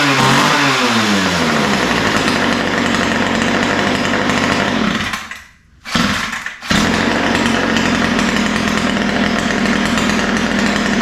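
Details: Ryobi two-stroke line trimmer, after a lean idle and top end were corrected by opening the mixture screws and setting the low-speed needle slightly rich: it revs up cleanly, holds a steady high buzz, dips to idle and picks straight back up. It runs well.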